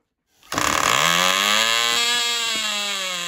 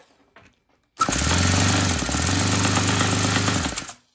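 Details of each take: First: Cox .020 Tee Dee nitro glow model engine on thrust test stand, running after fueling: catches and climbs into a clean, high, steady scream with no misfire or sag; about six ounces thrust, runs great; normal running. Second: Saito 100 four-stroke nitro glow engine after rocker covers removed to check valve gap: bursts into a rough buzz then cuts out three times, fuel bubbles blowing back into the tank as if intake and exhaust reversed; owner suspects incorrect valve timing.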